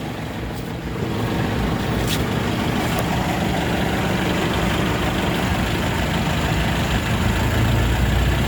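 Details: After replacing all differential bearings to cure a howl, wheel spinning in fifth gear gives only an even drivetrain rumble with no whine; rear diff now quiet.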